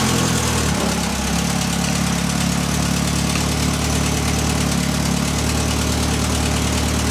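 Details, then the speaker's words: Built Mitsubishi Evo X SST with a PT 6466 turbo, idling on a temporary pipe after sitting a long time: a steady low burble with a buzzy, farty edge. Owner suspects an exhaust leak on the downpipe. Exhaust rattle at idle. "as you can hear there's definitely an exhaust leak on the downpipe or something it's like a farty sound"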